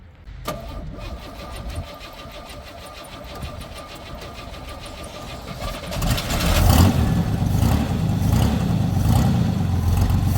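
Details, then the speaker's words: Lowrider V8 after disconnecting a line that pushed oil pressure up and out the dipstick: brief crank, then it catches into a quiet, steady, even idle with a low regular pulse and no knocking; normal idle, leak fixed. "so quiet can you hear that thing Run"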